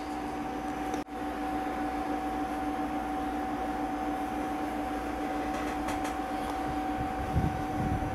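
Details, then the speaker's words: 1957 Zenith A615G AA5 tube AM radio, first power-up as bought: steady loud hum, no station tunes in; electrolytic filter capacitors need replacing, antenna wires also found unsoldered. "well it sounds like it's gonna need electrolytic can't tune anything in"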